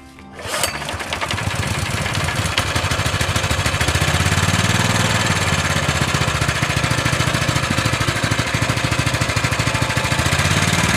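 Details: Honda GX160-type single-cylinder engine after valve clearance adjustment (0.10 and 0.25) for lack of power, heavy pulling and rough running: starts at once, settles into an even, steady chug building slightly in speed, no valve ticking; healthy.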